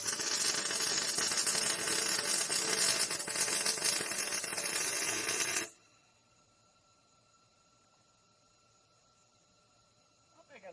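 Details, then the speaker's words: MIG welding on a trailer main frame repair, with the welder turned up to 54. A steady, even crackling fry lasts about six seconds, with no pops or sputter. It is louder than the earlier welds, with reverb through the pipe; a healthy, well-set weld. "*considerably louder but similar to the last sounds* Plus the neat reverb of it through the pipe"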